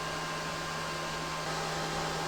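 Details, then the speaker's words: EG4 Chargeverter Plus 48V battery charger set to 100 A, charging at 94.8 A: cooling fans ramp through 7,700 to about 9,000 rpm, steady even rush with low hum, no rattle or scrape; normal high-speed running. "Fans are ramping up. Let's see if we can see what the fan RPM, 7,700, 8,000, 9,000."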